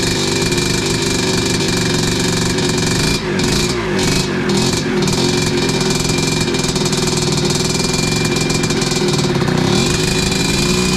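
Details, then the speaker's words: 1986 Tecate 3 two-stroke after fresh bore, piston and rebuilt crank, first heat cycle: loud raspy buzz holding steady idle with a few quick blips, slightly rough but keeps going; 500 carb not making it too happy. "Well, there we go, boys. She's alive."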